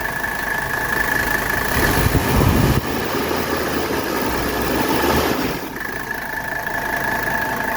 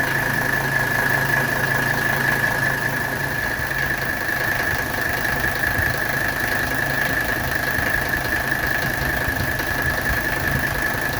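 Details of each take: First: 1985 Mercedes 300SD diesel at idle with AC on full blast after the belt was tightened: even diesel clatter with no rhythmic compressor chatter; belt drive sounds healthy. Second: 1985 Mercedes 300SD diesel at idle during AC recharge: steady high squeal with faint chatter from the compressor area, caused by a freshly fitted compressor belt that is too loose and needs tightening.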